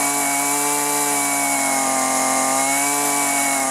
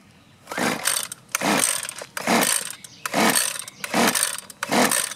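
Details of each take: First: Husqvarna 128LD string trimmer, after replacing rotten leaking fuel lines and fuel filter: crisp, even high-pitched two-stroke buzz at steady speed, no surging or bogging; running well before low and high carburetor adjustment. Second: Husqvarna 128LD string trimmer, pulled with choke on: nine regular rasping pull-cord strokes with no firing at all; no-start from fuel starvation, as rotten, leaking fuel lines kept fuel from the carburetor, fixed with new lines and filter.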